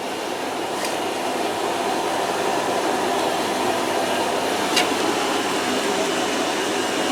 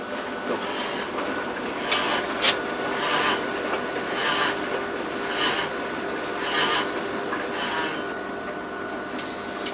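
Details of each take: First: Washer-dryer on its drying test, already warm and heating: an even, airy rush of the drum and fan with no knocks or scraping, so it runs smoothly and the drying run is normal. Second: Machine running: uneven rasping scrapes about once a second over the motor hum as the drum turns; drum rubbing noise, owner suspects the door part pushing against the belt.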